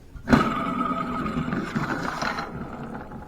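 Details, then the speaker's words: 4.6L Ford with intake manifold, water pump and rust problems: over the running engine, a rough, scratchy whir with a faint steady squeal rising from the belt tensioner, found with a homemade stethoscope. Worn belt tensioner pulley bearing. "I knew this was making noise here's a little better look at the belt tensioner but I want you to listen to it doesn't that sound"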